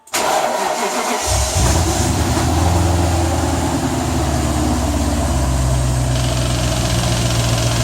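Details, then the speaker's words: 1995 BMW E38 740i M60B40 V8, first start after replacing the timing chain tensioner without priming it with oil: loud clattery idle with busy metallic chatter as the unprimed tensioner fills with oil; it then settled and ran smoothly. "starting that for the first time didn't prime it with oil so I expect it to be pretty loud at the beginning hopefully the engine doesn't turn into pieces"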